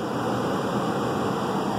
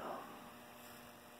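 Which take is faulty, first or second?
second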